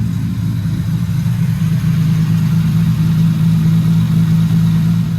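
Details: Lexus SC300, after fitment, power steering and cooling system work, settling back to idle from light revs of about 1,500–2,000 rpm: smooth steady low rumble, even firing with no knocks or misses; normal healthy idle.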